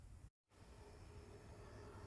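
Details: Xbox One S after fan replacement: a faint, steady airy whoosh with no rattle, ticking or whine; the new cooling fan spins quietly and smoothly.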